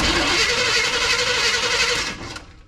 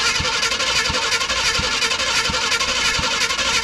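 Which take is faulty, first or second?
first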